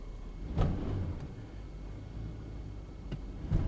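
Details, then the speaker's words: 2007 GMC Yukon in drive accelerating from a stop: two sharp single thumps about three seconds apart over low engine rumble, no clunk in reverse; torn driver side engine mount, replaced. "Alright, so the issue we have is when we're in drive and we go to accelerate, we get a clunk."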